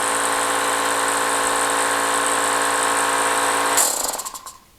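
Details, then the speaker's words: Hitachi EC79 air compressor after rebuild (switch, check valve, gauges, regulator, relief valve; previously never shut off and leaked): steady motor drone builds evenly then cuts off cleanly and spins down; no leak, pressure switch auto shutoff at about 110 psi. "and no leak oh yay so we have done it now okay it auto shut off at about 110 psi which is great"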